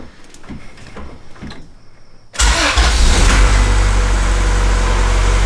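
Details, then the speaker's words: Car on first start after head returned from machine shop, solid motor mounts, crank not yet torqued, lower left torque mount off; catches first try, smooth even idle with steady low rumble, not sputtery anymore; normal idle. "sounds very very happy those solid motor mounts doing what they do best"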